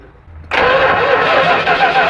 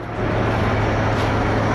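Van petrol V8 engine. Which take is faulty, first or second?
first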